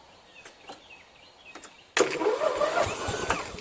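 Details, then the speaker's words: Toro Wheel Horse 1238XL lawn tractor, after the slow-turning starter (coils suspected burned) was replaced with a used newer-style starter. Battery at 12.7 volts. Brisk, steady, strong cranking. Normal starter cranking. "I'm gonna crank it and see I just tested a battery I've got 12 point 7 volts so that's more than enough"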